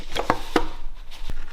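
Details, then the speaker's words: Mitsubishi Evolution III 4G63T engine turned by hand at the crank, oil long neglected: a few dull, uneven clunks, with free play at one connecting rod; spun rod bearing. "i was just rotating the crank a little bit and i heard something i couldn't you hear that let me see if i can get that again for you guys you hear that that is not a good sound"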